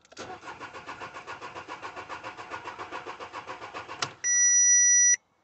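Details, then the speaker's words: Car after fitting a new crank sensor: steady cranking for about four seconds that never fires, then a dash chime. Still not starting; the scan tool can't find the ECU. "still not starting running a scan would that that oh the relays wouldn't show up anyway no it's failing to read the phone number it's not finding the ecu"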